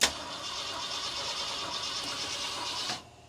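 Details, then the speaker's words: 1966 Ford Galaxie 500 being revived, firing order just redone, electric fuel pump switched on: engine cranks about three seconds without catching because the fuel pump isn't delivering fuel; fuel arrives on later tries. "I'm having a little bit of trouble getting this fuel pump to work. Alright, let's try this one more time."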